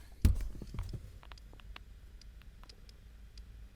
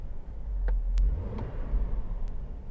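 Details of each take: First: Hummer H3 with Monsoon amplified audio and a PAC RP3-GM11 adapter: faint, irregular ticks through the speakers over quiet hum, continuing with the RCA inputs disconnected, alongside alternator whine; the faulty adapter was later replaced by an Axxess GMOS-04. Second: Hummer H3 with Monsoon amplified audio after swapping the PAC RP3-GM11 adapter for an Axxess GMOS-04, driving and revving: only low steady road rumble under the stereo, no alternator whine; audio feed clean.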